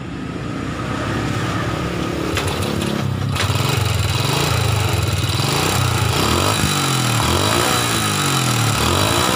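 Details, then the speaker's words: Old Honda Supra motorcycle idling with rough noise, a busy uneven rattle around the cylinder block and cylinder head over the exhaust beat, plus white exhaust smoke; owner suspects piston wear from late oil changes; worn camshaft and cam followers. "masalahnya motor ini bersuara kasar Hai bunyi kemricik disekitar ini blok seher dan Silinder Kop"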